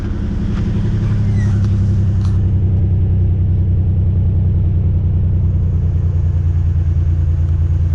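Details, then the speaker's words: Nissan Navara VG30 engine, over-boosted with too much timing, 85% leakage past a piston (suspected broken ring or ring land); at idle once warm, uneven popping as number one cylinder misses, runs on five cylinders, six above 2,000 rpm. "when it warms up and either then you can hear a pop every out again to keep you on pop pop pop pop pop and that's that number one cylinder trying to fire not firing just missing in general"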